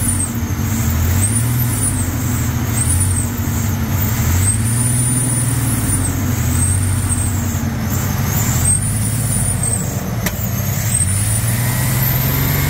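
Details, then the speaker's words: 1999 Ford F-150 4.2 V6 after fuel pump, belt and tensioner replacement: steady low idle rumble on its own with a faint thin squeal above it, which the owner thinks throttle body cleaner may fix; muffler needs replacing. "all right guys I think we need some throttle body cleaner because the thing is shrieking a little bit but it is running it is idling on its own"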